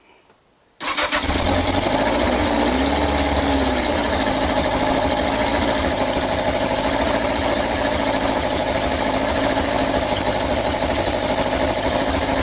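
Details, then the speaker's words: Yamaha XJ900S Diversion four-cylinder motorcycle first start after revival: catches and settles to fast idle with sharp raspy chuff, exhaust blowing from the header pipes. "okay then so I fought it was blowing from the manifold their horrible forging flapping stands you could hear it says that it's blowing from these pipes"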